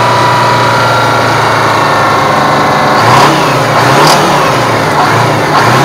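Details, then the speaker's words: Aerodyne cabover truck with Detroit diesel, sat 27 years, after running out of fuel because the fuel line wasn't switched over: steady even idle clatter with a couple of light blips, no misfire or stumble, now picking up fuel; normal diesel idle. "so i ran it out of fuel but it sounds like it's picking it up now i forgot to switch line over so uh seems like it's good now"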